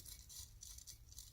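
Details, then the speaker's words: 1988 Ford E250, 7.3 IDI diesel, FS-6 AC compressor: worn clutch pulley spun by hand during clutch replacement gives quiet, gritty rasp in uneven bursts with slight eccentricity in the spin; pulley bearings are shot. "noise the bearings are shot in this thing you just even a little bit of an eccentricity on the spin"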